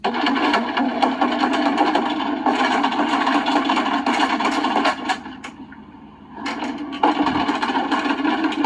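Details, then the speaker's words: 2004 Country Coach motorhome with HWH slide-out system: harsh grinding with sharp wood cracks and pops as the slide comes in while not level, easing briefly then resuming; the slide roller is off its track, chewing the floor. "oh that's the sound of bringing an RV slide in when it's not level"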